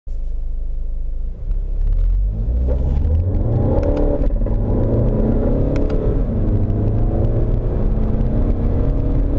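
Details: VW Golf 7 2.0 TDI 150hp/310Nm pulling through 1st and 2nd gear under acceleration: sharp crackling, twisting rattle clicks beneath the rising diesel drone. The subframe creaks under load; fixed with a new subframe.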